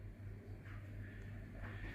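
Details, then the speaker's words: Reef Factory KH Keeper after one month, heard from across the room: steady low hum from the cup stirrer with brief pump whirs while dosing reagent and mixing with tank water; noisy but working normally. "But as you can see, I'm over here, guys, and you can still hear it. There's my chair, and as you can see, or it's not see, you can hear. It is pretty noisy."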